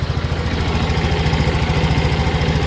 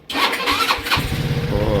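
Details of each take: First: Rusi RFI 175 motorcycle: single-cylinder idle with an even, steady beat about 3.5 pulses per second, no knocks or misses; running healthy. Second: Rusi RFI 175 motorcycle with hard starting despite a new battery: starter whirs briefly, then the engine catches and settles into a rapid uneven putter; slow to fire up.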